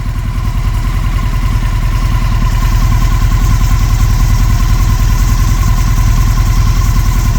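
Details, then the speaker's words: 1996 Honda 900RR Fireblade, 919cc carbureted four-cylinder, stationary and nearly at operating temperature: a steady, even low putter at warm idle with a faint whine, waiting for the fans to kick on. No knocks or misses; a healthy engine. "so about to hit normal operating temperature I'm gonna go ahead and grab it a few more times she's not moving down the road so we should see those fans kick on pretty soon"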